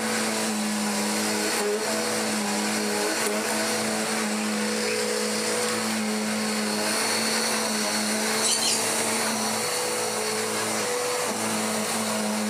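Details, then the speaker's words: Dirt Devil DD6114 upright vacuum, an Electrolux Contour clone, long stored in a shed, before restoration, after clearing a clog: steady, even motor hum with clean whirring note, belt less grumbly than before. Normal running. "Running better and better and better. That belt's even not being quite as grumbly as it once was."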